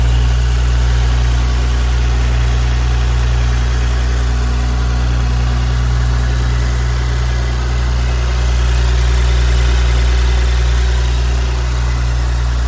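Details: Audi B9 S4, 48k miles, after rocker arms replaced: steady, even idle with smooth low hum and no top-end ticking or knocking; normal idle.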